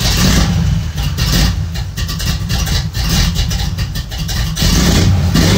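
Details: 1990s-style OBS Chevy truck V8, just got running again after transmission repair work: deep lumpy rumble settling into a steady idle with no knocks or grinding; normal idle.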